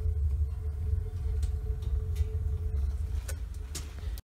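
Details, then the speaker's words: Homemade wood-burning garage heater with new burner, at maximum air flow: heavy low rumbling roar with uneven pulsing throb; flame buffeting, cause unclear, so air is turned down. Burner combustion buffeting. "all right it's going into thermonuclear melt down here can you hear that some buffeting has started"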